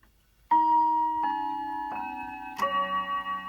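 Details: A click, then four clear, evenly spaced ringing notes decaying cleanly as the 1954 Smiths Sectric Grand Tompion's 5-rod Westminster quarter-chime, on a synchronous 200–250V AC mains movement after cleaning and relubrication, is pushed past quarter past; chime strikes properly.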